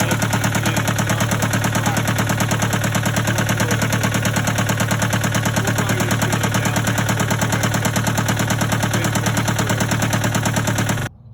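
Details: Case 188 four-cylinder diesel tractor, loud idle before teardown: a lumpy, uneven chuff of around three beats a second with a hard knock, smoking. Number one cylinder appears dead; the cause is not yet diagnosed.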